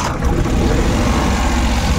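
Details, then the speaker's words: Suzuki Every DA64V with high idle and strong vibration, checked cylinder by cylinder at idle: lumpy, uneven idle with the low beat stumbling irregularly. One cylinder misfiring, attributed to low compression. "Ayan so pagka Walang nagbago dito ibig sabihin doun yung misfiring pag Nagbago yung andar na Parang mamamatay or nam t okay yun goods yun"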